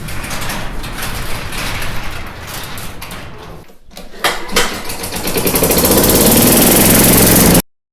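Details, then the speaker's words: Craftsman yard vacuum with a 4.5 hp Tecumseh engine, bought non-running in a lot of power equipment: a few rough pulls, then it catches and settles into a strong, steady run climbing to full speed; normal running. "so cool that's awesome i'm so happy about this this worked out well"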